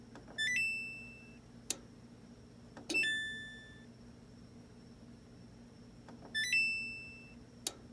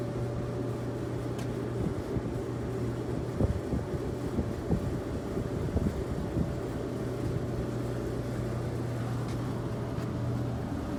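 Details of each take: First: Samsung electric dryer: the panel chimes when start is pressed, then one sharp click and nothing spins up. It sounds like the board relay, but the thermal cutoff on the blower housing is suspected. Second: Samsung electric dryer, after repair of a no-start with a click on pressing start (thermal cut-off suspected): steady low motor hum with faint constant tone, no scraping or thumping, drum turning normally and heating.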